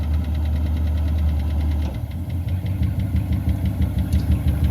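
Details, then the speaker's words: Old V8 barn-find car, first drive in years with no brakes and an overflowing carb: low-speed rumble with a light steady tap about three times a second, source unknown; engine ticking. "I hear the thing tap, tap, tap away."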